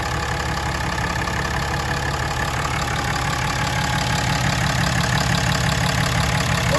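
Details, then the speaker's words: 2017 Ram 3500 Cummins diesel just after changing both fuel filters and priming the system: steady, even idle clatter with no stumbling or hunting, no air in the fuel system; normal idle. "Time to start it up, make sure we don't have any air in the system."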